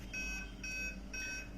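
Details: Aquaguard water purifier, red light on: repeating chirpy beep roughly every half second; error because the replaced purity sensor (light-dependent resistor) is not yet connected, original one faulty.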